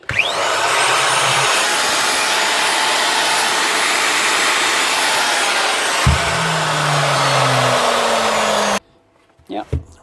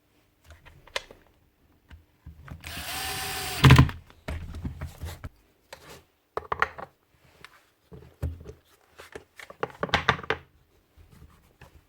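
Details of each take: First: Hitachi angle grinder under repair, test run before bearing replacement: high rough gritty whirring at full speed then falling coast-down whine; bearings totally shot, loose bearing clamp plate screws, gear teeth fine; worn bearing noise. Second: Repaired grinder after a glue fix: short even whir spins up and winds down between handling knocks, no grinding or rattle; field not burnt; normal run.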